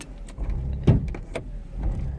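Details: 2000 VW Polo 1.0 idling: uneven idle with irregular low thumps and stumbles; misfiring, cause unknown.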